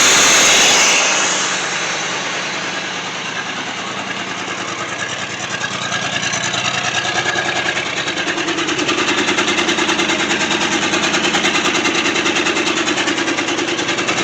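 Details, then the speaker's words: 1966 Ford Thunderbird, FE 390, first run in at least 13 years after points adjustment: catches and settles into a steady, smooth, even run with no misses or knocks and no bad exhaust smoke; runs well. "i'm really amazed at how well this car is running"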